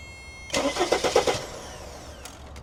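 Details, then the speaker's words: Mercedes Sprinter van no-start: starter actuated directly with power probe gives a short burst of strong, even cranking, starter healthy; fault in wiring or relay, new relay suspected. "So, we know the starter itself is good and the problem is in the wiring or the relay."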